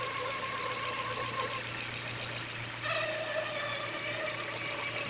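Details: Ford engine at idle with a newly fitted Contitech timing belt: a thin whine that shifts pitch over a steady hum. The owner suspects the new belt is too rigid compared with the original Ford one; unconfirmed.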